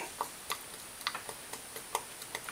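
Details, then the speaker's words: Engine stopped on a 2016 Honda Foreman 500 Rubicon during a top end rebuild, crankshaft rocked by hand gives sharp uneven metal clicks showing up-and-down play: worn connecting rod bearing, letting the piston wobble in the cylinder. "what you want the check on here is make sure that this crankshaft doesn't have any play in it up and down you actually can hear it"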